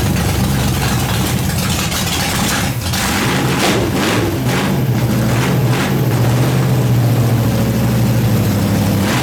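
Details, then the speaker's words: Nitrous small-block Chevy V8 in a fresh build, just started after too much fuel and tire spin, fuel pressure possibly to be turned down: lumpy idle settling into a deep steady rumble; now starts, runs and idles normally. "there it is it starts it runs it idles uh even at one point we had the tire spinning wasn't supposed to"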